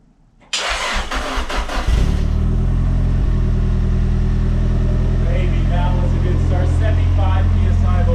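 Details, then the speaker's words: Nissan Silvia, freshly built forged SR20 replacing a blown engine, first cold start: brief crank, catches and settles into steady even idle with no knocks or ticks; about 70–75 psi cold oil pressure, no leaks; idle character normal, motor sounds good. "Sounds good. Oh. It always has that idle, that's normal. Yeah. The motor sounds good."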